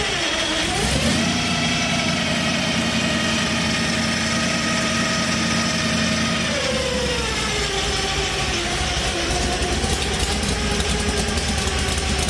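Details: 1964 Ford Fairlane Thunderbolt V8 with a huge cam and gear-drive timing, first start after build, running on avgas: choppy loping idle, a rev blip and steady gear whine from the timing drive; healthy big-cam engine.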